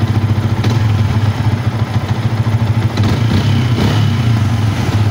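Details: Yamaha Vixion with a stalling and dead-ECU complaint and blinking MIL, idling during a charging check that reads about 13 V: steady low putter with an even beat and no knock or misfire. Normal idle.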